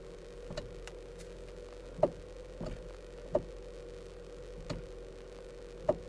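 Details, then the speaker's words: 2013 Kia Soul, inside cabin as the wheel turns: sharp irregular clicks, under one per second, intermittent annoying noise caused by a worn steering column coupler. "Got to fix that annoying noise. So I'm going to show you the part that's going to fix that problem, and then we'll get to work. So guys, that noise you just heard is being made by this small thing right here."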